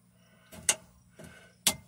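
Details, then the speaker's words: Off-grid power system mechanical relay (refitted in place of a solid-state relay): crisp clicks about a second apart as the coil pulls in, but contacts don't engage, so no power reaches the dump load selector; relay to be replaced. "it is the relay is functioning you can hear it clicking but it's not engaging so the the terminals internally uh it's not applying any power to the dump load selector"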